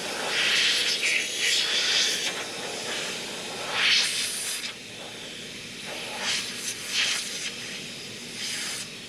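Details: Boost leak on an Evo after an AGT Red swap: a steady hissing rush of escaping air that swells and fades in bursts while the intake is pressurised, pointing to a leaking intercooler coupler.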